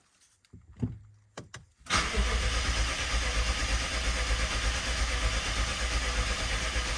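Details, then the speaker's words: BMW 750Li first start after transmission repair and engine reinstallation, fuel pump fuse back in: a few clicks, then long steady cranking with no firing; won't start, something wrong beyond fuel priming. "no no there's definitely something wrong because it doesn't take that long for fuel to get to the front of the car"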